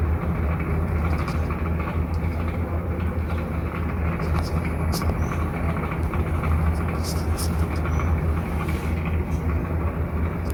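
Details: Clipsal Airflow CE250 250mm kitchen exhaust fan in an old house, very used and dusty, running with a heavy, rough low droning rumble from badly worn motor bearings.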